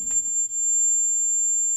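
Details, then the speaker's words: Marshall JCM800 Zakk Wylde guitar amp with a new JJ 12AX7 in V1 and an added gain stage, gain above 2: steady piercing high whistle at one pitch; amplifier oscillation squeal with microphonics. "However, we were getting some squealing. Listen to that. Some microphonics here, some oscillations."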